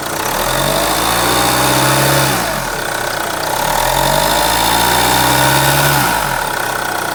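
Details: B20DTH diesel at idle: a steady low drone from under the bonnet beneath the clatter, swelling and fading every few seconds. The source of the drone is unclear.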